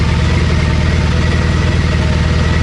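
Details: Triumph Bonneville twin, after cleaned injectors and faulty O2 sensor found, engine light gone out: steady, even low thump, no misses, ticks or hunting. Normal idle.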